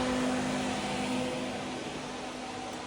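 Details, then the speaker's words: Small 12 or 14 inch water-to-air heat exchanger fan heating an insulated shop: steady, even airy rush with faint low hum, no rattle or knock; running quietly and smoothly. "The hot water circulates through just like a radiator, and that fan just blows out air through it. Pretty quiet."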